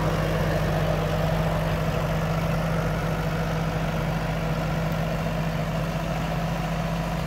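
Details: Ferguson TO20 tractor after repairs, restarted once the fuel valve was opened (owner suspected a fuel clog): steady, even low idle with a smooth hum and no misses or knocks. The engine is running properly.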